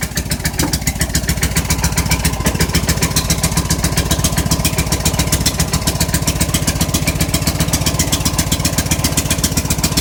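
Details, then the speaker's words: Snow blower on a cold start in snow, left running with the choke stuck on: steady, fast, slightly uneven chugging at about 220 beats a minute that never settles to a clean idle. "okay I leave it running cuz it's uh stuck on choke oh my gosh ahhhh gasp the choke is stuck on on this"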